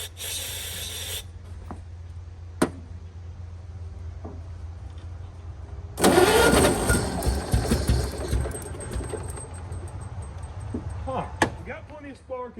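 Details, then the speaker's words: 1923 Franklin Model 10 that sat at least 76 years: the starter churns steadily with only faint firing and it never catches. It has spark, but no fuel is reaching the carburetor. "know we have spark so maybe it's just a fuel delivery issue cuz that happens sometimes"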